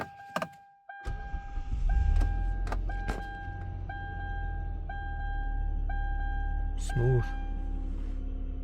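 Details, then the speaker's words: 2008 Hyundai Santa Fe that overheated, first start after timing belt and water pump replacement, garage door open. Brief crank, smooth even idle, no knocks, door chime pinging; slight noise from serpentine belt pulley, to be replaced later. Normal start. "No weird noises. One of the pulleys did have a little bit of a a sound, but that's just the serpentine belt pulley."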